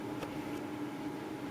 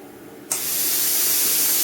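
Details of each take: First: Plasma cutter powered on during fault checks: steady, even mid-pitched cooling fan hum with no rubbing or ticking, power light on. Fan running normally. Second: Plasma cutter with machine and air on: air suddenly rushes on with a loud steady hiss while the torch trigger is untouched, then stops; wiggling the lead switches it. A break in the torch switch wire is self-triggering the cutter.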